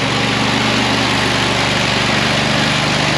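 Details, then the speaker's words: Auger filling the truck with heavy fertilizer through a screen; low labouring engine drone with rough uneven beat, throttling down and almost dying under the heavy fertilizer load. Engine lugging under heavy load. "You can hear that auger, it's throttling down, it's almost dying. Fertilizer's so heavy."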